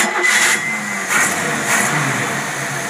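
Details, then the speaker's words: Rebuilt Rochester Quadrajet carburetor on a V8 test engine: cranks briefly, catches quickly and settles into a smooth, even idle with no stumbling or popping; mixture set at about 12 parts; healthy start. "here's your carburetor it's all rebuilt and it runs perfect and I'm going to start it up before I"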